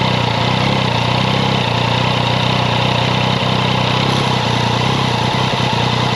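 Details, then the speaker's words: Yamaha XSR900 CP3 triple idling in neutral, clutch not pulled, before adjustment: loose metallic chatter over a steady idle, louder than with clutch pulled; cam chain noise common to CP3, fixed by adjusting the tensioner with a 3 mm hex. "那没有拉离合器的时候，声音会比较明显。那这边会感觉有一个很大的异音。"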